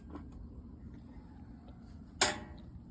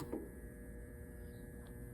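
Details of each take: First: Whirlpool/Maytag Centennial top-load washer set to drain and spin with the water not hooked up: two sharp clicks over a low hum with no spin; the board powers the lid lock but it fails to engage, so replace the lid lock. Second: Whirlpool/Maytag Centennial top-load washer set to warm wash with no water connected: both hot and cold inlet valve coils energized, giving a steady fixed-pitch electrical hum with no pulsing; inlet valves working normally.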